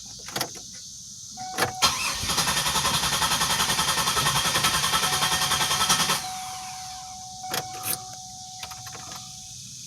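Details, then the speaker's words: 2007 Grand Prix after AEM E85 fuel pump, 6AN line and stainless filter install, fuel pressure near 60 psi: died, then a steady pump whine as the starter cranks evenly about four seconds without catching; owner suspects too much fuel pressure. "too much fuel pressure and she just died okay i don't know what happened there"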